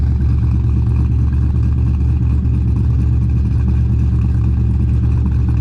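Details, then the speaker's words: The 240 after post-dyno work and swapping the two IAC wires, idling at about 1050–1070 rpm on a hot day; the owner hears an odd noise and wonders about belt slip or the IAC: deep, steady, even exhaust burble with no hunting; normal idle. "Hard to say, but idling freaking awesome now after I switched those two IAC wires. Idling like perfectly at like 1050, 1070. Sounds really good."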